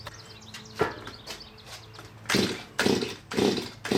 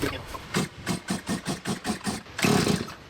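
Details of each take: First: Stihl MS170 chainsaw after upgrades (12" bar and full chisel chain, muffler mod, adjustable carburetor, timing advance), checked for tuning: idles quietly, crisp throttle blips rise and fall cleanly without bogging; runs fine, normal running. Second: Stihl MS170 chainsaw after muffler mod and adjustable carburetor fitted, tuning screws being adjusted, fuel tank found low or empty: about eight quick pull-start strokes, short whirrs, no firing; no-start.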